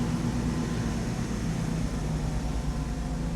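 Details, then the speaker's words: 1995 Mercedes R129 SL500 V8, 84,000 miles, idling after lower engine wiring harness replacement: smooth, even low rumble with no knocks or misses, good oil pressure and no warning lights; smog pump noise until warm. "You see we have good oil pressure. Don't have any warning lights on. Started right up. Sounds great."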